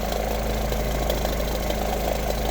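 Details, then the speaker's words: Car engine at idle with a steady fast knocking through the low rumble; owner fears rod knock but hopes it's a loose plastic part or exhaust leak. Cause unconfirmed. "I'm really hoping this isn't a rod knock noise. Like, I'm hoping it's just exhaust or something, some plastic part that's loose."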